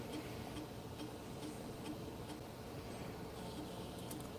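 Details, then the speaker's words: Mac (A-Team Mac) HD floppy drive formatting a disc: quiet, evenly spaced head-step ticks about twice a second during verify, drive struggling. Eject is strong. Format then reports initialization failed; the cable is swapped next to rule it out. "It's formatting the disc now. It's verifying the format. Okay. Still verifying."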